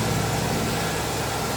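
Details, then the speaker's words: Nissan 180SX straight-six, first start after three years sitting, with a straighter exhaust fitted and some parts not yet installed, not revved: even, steady low rumble, slightly raw exhaust note, no knocks or misses; healthy idle. "Aman? Oke, mesinnya udah nyala. Suaranya kurang lebih sama kayak sebelumnya karena nggak ada yang berubah."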